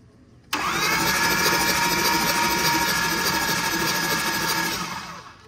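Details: Diesel truck with a failed CP4 fuel pump, its motor earlier binding, spun briefly by the starter; it whirs evenly about three times a second with no binding; normal cranking.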